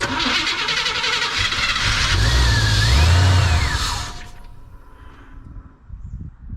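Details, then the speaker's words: 1976 Chevy Cheyenne 4x4, start attempt with the carburetor still working itself in and possibly flooded: engine runs unevenly for about four seconds, then dies; old electric fuel pump suspected, no smoke. "Yeah, I think the electrical fuel pump's just not, it's old, you know, but didn't it sound good for a minute there?"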